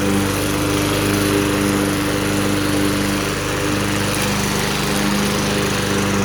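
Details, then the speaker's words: Vintage, believed late-1980s, Toro GTS 5hp 3-speed self-propelled mower (model 20622), apparently Suzuki engine, found in shed, with blade clutch: steady, even single-cylinder buzz, no misses, knocks or surging; runs healthy. "anyway the idea has this clutch driven blade accessory but it runs completely unattended without having to hold anything down"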